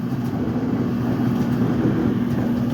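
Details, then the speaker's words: Kenmore/Whirlpool-type clothes dryer running a cycle: steady gritty rumble and grinding under even drum spin; worn drum support roller. "so far is that noise does not sound good is your dyver making that noise that grinding noise then I'm I will show you how to replace how to fix that one"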